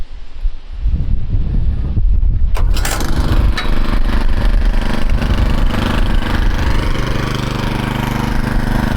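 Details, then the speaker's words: TroyBilt 18-inch Mustang tiller after replacing a broken drivebelt with an A57 belt: the engine catches after a couple of pulls and settles into a steady even putter. It idles normally without turning the belt. "Good. See the engine's idling without turning the belt."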